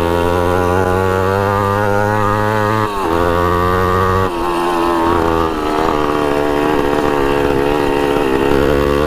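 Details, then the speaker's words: 1980 Honda CR80 barn-find two-stroke riding under load: revs rise, dip at each shift, then flatten without reaching high revs. Owner suspects the restrictive pipe or a slipping clutch; not confirmed. "it starts right up runs pretty decent I think the pipe is being too restrictive that's why it doesn't rev out all the way but um yeah still goes pretty good and it could be that the clutch is slipping too"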